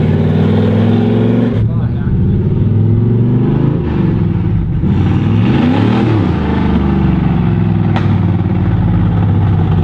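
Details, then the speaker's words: Nissan R32 Skyline, newly running with no exhaust fitted. A loud, raw open-pipe roar rises and falls cleanly with throttle, crisp and even. Healthy engine revving. "this thing's crowded it sounds sick it probably sounds like with no exhaust it could sound way better yeah it just runs phenomenal"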